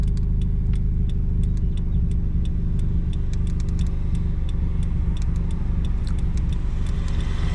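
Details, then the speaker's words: Subaru after fixing a misfire with new spark plugs, oil, trans/diff fluid and intake cleaning, pulling in gear: deep steady engine rumble under load with slight cabin rattle, no stumbling or cutting out as before; normal acceleration. "she's uh feeling better it pulls the whole time it doesn't cut out or anything like before"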